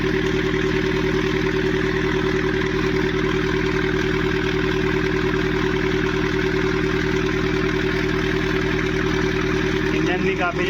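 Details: Mahindra Scorpio S9 BS-6 diesel with crank-no-start trouble, DTCs P065100 and P246300, and a suspect differential pressure sensor with tampered wiring. Steady idle with a loud, regular clatter over a hard drone; excessive engine noise, cause unconfirmed.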